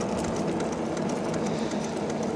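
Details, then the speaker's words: Andsky Gravita LS e-bike (750 W motor) riding in pedal assist: light regular tick with each wheel turn over tyre hum; rider suspects a bent spoke hitting the brake caliper. "And I think the spoke that was bent is hitting the brake caliper. Sounds like to me."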